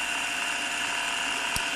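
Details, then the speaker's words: Gem Turbo Trax mono cassette copier, fast rewind: steady high whirr with one brief click, motor deliberately slowing as tape fills the reel so it won't spin too fast and break the tape; normal. "As more tape gets wound onto this reel, this reel will get faster and faster. And if it goes too fast, the tape could break. So, the machine slows down as more tape gets wound on."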